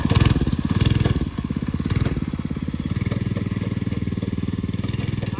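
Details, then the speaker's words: Homemade drift trike with a Predator 224 single-cylinder engine and a cheap eBay axle kit, on its first test drive; thumping engine with a fast, irregular crunching and popping from the chain skipping on a mismatched, wrong sprocket. "so it'll stay on if you go real easy but you can hear it crunching when you're driving like it pops because it doesn't match up with that stupid sprocket yeah look yeah it's definitely the wrong sprocket"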